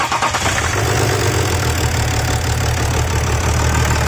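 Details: BMW X6 after repair of bad engine rattle with new hydraulic lifters and all timing chains replaced (main chain found stretched), cold start: engine catches and settles into steady, even cold idle with no rattle or hammering; normal.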